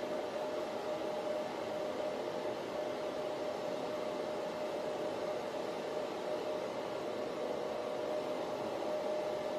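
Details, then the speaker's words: Antminer L3+ Scrypt ASIC miner at startup after replacing factory high-speed fans with quieter ones: even soft airy hiss and faint steady hum, no surging or ticking, much quieter than the original fans; normal fan running. "okay as you can hear right now the uh the noise is a little way way lower than before"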